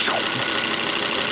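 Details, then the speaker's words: Volvo V70 wagon after a 400-mile road trip, idling with a latex glove sealed over the oil filler cap for a PCV test. The glove gets sucked in. Smooth, even idle hum; the oil separator is not clogged despite the dealer's estimate. Normal idle. "sweet that's awesome we rev it up but nothing wrong with that oil separator"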